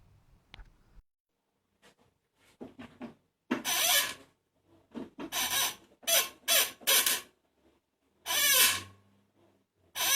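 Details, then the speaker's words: 1997 Toyota Starlet EP91 with hydraulic clutch: sharp squeaks each time the clutch pedal is pressed, from the slave cylinder pushing the dry release fork pivot; fix is greasing the pivot. "this is the the slave cylinder pushing this one and this is what makes a squeaking noise"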